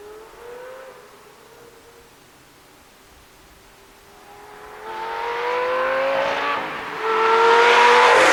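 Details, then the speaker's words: 2004 Lamborghini Gallardo V10 after the factory exhaust was replaced with test pipes and a Supersport X-pipe: loud sharp scream climbing through the revs, pulling cleanly to the top with no rattles or misses; healthy exhaust note. "She absolutely screams. I couldn't be happier. I want to drive this car at about 7,000 RPM for hours on end. It just sounds absolutely amazing with the windows down, that V10 just screaming behind your head."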